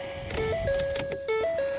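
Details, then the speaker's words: 2010 Ford F-150, engine off: repeating stepped electronic key-left-in-ignition warning chime sounds with key removed, all doors shut and lights off; cause unknown, owner hasn't figured it out. "it's like the thing says hey you left your key in ignition on this side you can see the doors are shut completely there's no lights on everything's off lights are off and but we have this digging"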